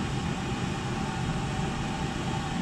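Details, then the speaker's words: Oil-fired whole-house furnace (275-gallon tank) after primary oil filter change and air readjustment: constant soft flame roar over fan hum, not cutting out; staying on longer than last time — normal burner operation. "readjust the air too staying on a lot longer doing more than it did last time"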